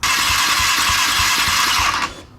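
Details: Dirt bike on a fuel pressure gauge during cranking, pressure holding above 40 (spec possibly 45–50): starter whirs about two seconds with even compression pulses and never catches; cranks but won't idle.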